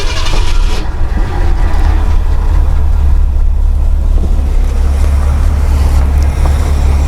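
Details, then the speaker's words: Mercury with 390 Ford FE V8, sat 15 years, brake booster diaphragm rotted with no vacuum filter. Deep, uneven, loping idle with a faint sucking hiss, smoothing when the line is pinched: vacuum leak through the brake booster, leaning cylinders 4 and 5. "hear our idle down now she's smoothing out that's a definite leak right in here it's just sucking right past the uh power brake booster"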